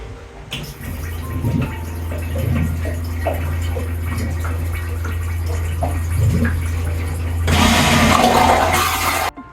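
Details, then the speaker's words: Aquila 32 Sport boat's wet head toilet on the starboard side: normal flush after the flush-water amount is adjusted with the buttons. A steady low pump hum runs several seconds, then a short rush of water as the bowl clears. "so it's going to use more water during a flush so you can raise that amount of water or lower the amount of water just by playing with these buttons here"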